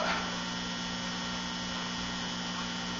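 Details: Likely late-1960s LectroLab Sound Project R203 series filament tube amplifier (2.3 W) after servicing, idling: a steady low buzz with a few clean tones above it, no crackle or swelling; only low residual mains hum.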